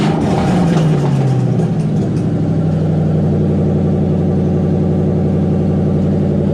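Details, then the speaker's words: '97 Ford Mustang Cobra on stands during removal of an exploded clutch, run with the exhaust open at the headers: a loud, raw, crackling rumble falls from a rev blip into a fast, choppy idle, open header exhaust noise. "all right guys so this exhaust clip is gonna be with open headers and i am i'm also terrified i know it's gonna sound awful"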